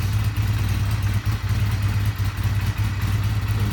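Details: Honda CB250 at about 50°F, owner's first bike, which struggles and honks on starting below about 50–55°F (owner suspects cracked starter clutch): steady, even low thrum just after cold start, no knocks, ticks or rattles.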